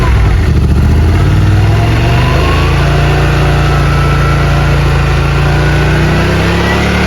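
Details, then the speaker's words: Yamaha RMAX 1000 UTV after clutch kit install: steady even engine note with smooth rev climb, no slipping, chatter or knocks; primary and secondary clutches working, belt drive healthy. "It's still smooth. Oh yeah. Yep. No problems. Everything's working good."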